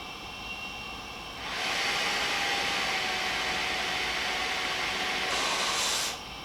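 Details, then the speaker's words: Philips DreamStation 1 CPAP after DIY removal of the recalled foam, powered up and run at full blast with the outlet briefly blocked: soft hiss swelling to a steady smooth airflow rush, no rattle or whine; quiet, normal blower operation. "let's just see what it sounds like running full blast for a second i'm gonna block it for a little bit okay that's quiet"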